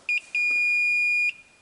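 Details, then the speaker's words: 1995 Honda Fourtrax ATV with no spark or no start, continuity testing on a switch: the meter chirps twice, then gives a longer tone that cuts out while the button is held; intermittent switch contact, dirt inside the switch suspected. "Let's try that. Oh. Okay. So it's not making good contact."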